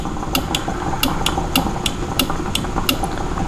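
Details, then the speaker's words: Kubota KX91-3 Super Series excavator, new relay added to bypass computer for hydraulic thumb control, low-current trigger wire touched with switch on: crisp clicks roughly every third of a second; relay working properly. "you can hear it click, that relay click. So right here, I'll show you. See how it's clicking? It takes very little power."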